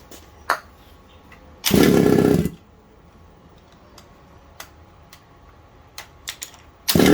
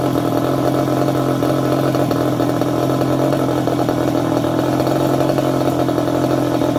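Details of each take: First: Secondhand 1/5-scale RC Baja two-stroke with a replaced isolator block. It blats briefly, then dies abruptly when multi-purpose spray is applied between the block and engine. This confirms an air leak there; the owner is unsure whether it is the isolator block or head gasket. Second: Second-hand 1/5-scale RC Baja with a small two-stroke engine: high, buzzy note runs steady with a fast, even crackle and no misfires or stumbles, normal running.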